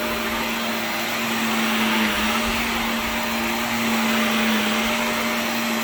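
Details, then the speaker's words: Shark NV355 vacuum after motor main pod replacement: steady, even motor whine with constant airflow rush, no rattles or surging, then an odd-sounding motor wind-down; running normally. "kind of a strange motor wind down sound but works huh but hey it works"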